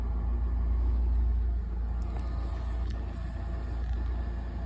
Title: 2003 Lincoln Towncar buzzing sound.